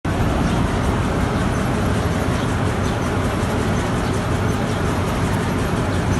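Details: Petkus K527 seed cleaner after a major overhaul, running normally: a steady, even mechanical rush with a fine regular rattle of the sieves and no knocks or surges.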